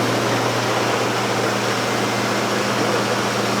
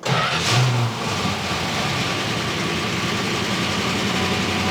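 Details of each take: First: 1969 Plymouth Barracuda V8, revived after sitting 27 years, idling about 1200 rpm during new-cam break-in, about 7 minutes in, good oil pressure: steady, even idle with only a faint light rattle after a loose plug wire was refitted; pretty normal. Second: 1969 Barracuda first run after sitting 27 years, on a test electric fuel pump; engine catches into a rough idle with busy, rattly top-end clatter though oil pressure reads mid-gauge; worn hydraulic lifters.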